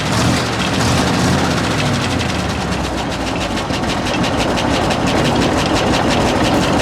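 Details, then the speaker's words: 1966 International ACCO truck, petrol V8 with a poorly tuned 2-barrel Holley carburettor, relying on the throttle pump to keep running after a hard start: loud, lumpy, uneven idle hunting at about three pulses a second; rough idle, cause suspected, not confirmed. "Really got to rely on that throttle pump to keep it going. Like, it's not tuned real well, but it's got a 2-barrel Holley on it."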